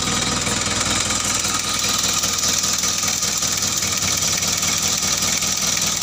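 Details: Mitsubishi L300 diesel started after an engine overhaul: a steady, even diesel clatter at idle with a constant beat and no hunting or knocks; healthy running.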